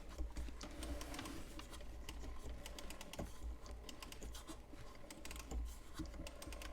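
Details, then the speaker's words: McGraw-Edison Model 12-026 Automatic 24 Hour Timer flip clock, plugged in and set to switch on at 2 p.m.: fast, uneven dry clicking and rattling over a faint hum, making a lot of racket; cause unclear. "it's making a lot of racket."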